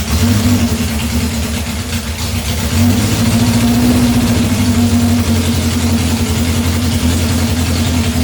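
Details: 1978 Honda CB750 K8 four-cylinder, first start after troubleshooting, on battery booster with temporary fuel supply before rebuild; settles into steady, even idle with smooth low drone, no misses, knocks or rattles; healthy.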